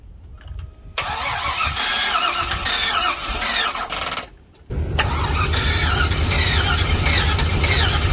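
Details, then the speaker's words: Box truck with low compression, jump-started with a Topdon JS2000 after engine restorer added: long crank, stall and restart, then lumpy, uneven running, missing steadily, as it did before. Hard start with misfire, cause unconfirmed. "Is that more than it did the day you were at the... I think it ran a lot like this. Yeah, I mean, she's missing pretty good."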